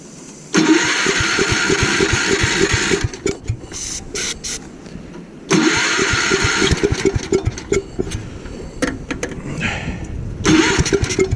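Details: Gravely Commercial 12 34" snow blower, cold, after carb cleaner is sprayed into the intake: three cranking bursts each catch roughly and die within seconds. Fuel starvation, later traced to a shrunken fuel line at the carburettor.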